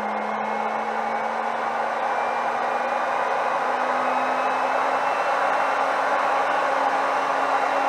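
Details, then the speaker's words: Solary "Hot Rod" automotive induction heater under repair, with a bolt in the coil: a loud jet-like rush with a hum that climbs slowly as the fan spools up, then runs smooth and steady. Normal cooling fan; the unit heats up. "well there's a fan come"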